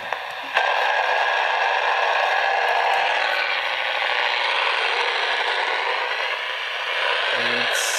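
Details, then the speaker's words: Radio control car battery charger radiating RFI onto a nearby radio receiver: harsh steady buzzing hiss jumps up and holds; noise reaches several feet. "another one you might have in your house if you have kids this is a radio control car battery charger watch this"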